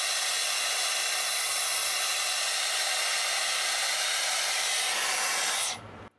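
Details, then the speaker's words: Dyson Airwrap that cuts out after about 5 minutes: loud, harsh airy rush, noisier and less powerful than normal, with a different pitch, then it cuts out; restricted airflow, motor starved of air by a blocked inlet. "Everything else on it works and it's fine. It's working perfectly fine. It's just it sounds like there's a starvation of um air on it. It's not quite as powerful."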